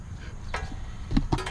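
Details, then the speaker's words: Toyota 4Runner wheel spun by hand: sharp irregular clicks as brake pads catch a ridge on a somewhat warped rotor, noise would be worse with the vehicle's weight on it. "there it is as it spins click click well that was an easy one the rotor somewhat warped it's got a ridge on it when it gets to the ridge spots it makes the brake pads click"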